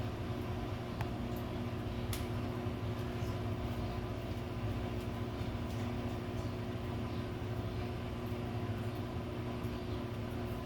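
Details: Samsung washer-dryer on spin test after replacing both shock absorbers to cure noise and jumping: a steady, even low hum with a smooth spin and no banging or thumping; the drum runs quietly and normally.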